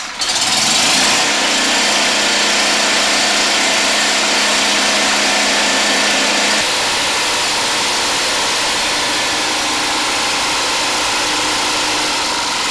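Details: DIY 12V DC engine-alternator generator in basement, alternator about 80 A in summer and 100+ A in colder winter: engine catches after a second, settles into steady, even run under muffled exhaust, no knocks or misses; normal running.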